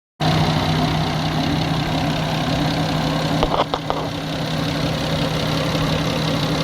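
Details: Nissan RB25DET Neo engine at idle: steady hum with a faint light ticking and a couple of sharper clicks; owner suspects tappets or an exhaust manifold leak, cause unconfirmed.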